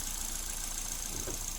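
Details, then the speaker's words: Suzuki Ertiga after engine teardown, oil passage cleaning and head gasket replacement, timing chain and sprocket kept: smooth, even idle with no ticking or rattle, oil pressure fully up. "ini sudah halus ya oli sudah sempurna naik"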